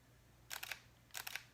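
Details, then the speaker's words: Fujifilm X-T3 mirrorless camera, shutter set to mechanical: two faint, quick soft double-snap clicks about half a second apart with no mirror slap, barely audible; normal mechanical shutter, contrasted with the Nikon D750 DSLR. "I have my shutter set to mechanical and electrical. So you can use a mechanical shutter. Listen to this. This is the mechanical shutter."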